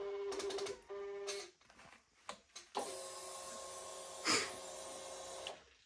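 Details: 2022 Kawasaki Z900 in for a no-start with suspected damaged ECU: after ignition key cycled, short even electric whir for a few seconds then stops; fuel pump primes normally.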